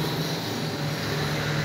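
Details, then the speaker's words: Arno Silêncio Force fan that would not turn on, after replacing wire terminals at the switch with proper connectors: smooth even airy whir over a low steady hum, no rattles or ticking; motor runs normally. "Tá bom então vou ligar aqui ó e agora nós vamos aqui beleza funcionando show de bola"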